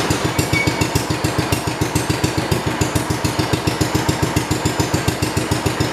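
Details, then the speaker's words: 1971 John Deere 110 hydraulic-lift tractor that had running issues, started after plug work and possibly a little flooded: a small single thumping evenly at about 3.5 beats a second with no misses, running nicely. "But yeah, as you can see, it runs real nice. Runs real good and runs real nice."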